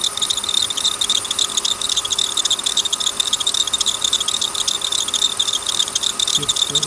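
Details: Bad serpentine belt tensioner: fast tinny metallic chatter about three to four beats a second, belt slipping off its track at tensioner; pulley already replaced without success, tensioner now suspected.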